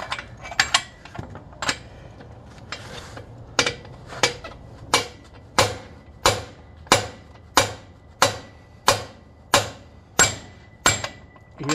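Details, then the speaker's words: Rear axle rebuild on an 11.5 AAM rear end, Silverado Duramax crew cab dually: bearing race driven into housing with hammer blows about 1.5 per second, sound turning sharper and more solid; race fully seated with no gap. "difference in noise that's all the way in make sure there's no space between that bearing race and the housing"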